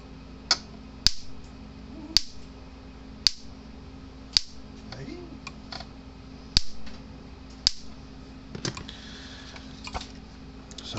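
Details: Old PEL 350 electric fence charger, 110-120 V AC, after repair, reading about 6.6-7 kV on tester: sharp regular snaps roughly once a second, each pulse crisp and even; firing normally.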